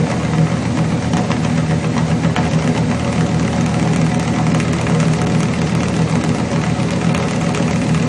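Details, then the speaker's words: Chevrolet 350 V8 with long tube headers, failed valley-side intake manifold gasket causing oil consumption and rough idle; uneven, lumpy idle with missing exhaust pulses; cylinders 4 and 6 weak on power balance test. "or rhythmic pattern on the left bank and on the right bank we have two cylinders that are we we should be able to see an irregularity"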